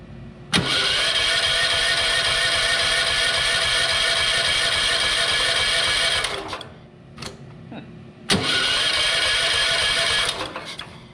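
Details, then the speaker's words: Wen 8750-starting/7000-running-watt generator bought as not running, battery uncharged, oil and good compression: catches on starting fluid, revs about five seconds then dies, refires and quits; garage reeks of stale gasoline, carburetor suspected gummed up. "it now reeks in my garage of stale gasoline so I'm gonna bet that carburetor's gummed up pretty good"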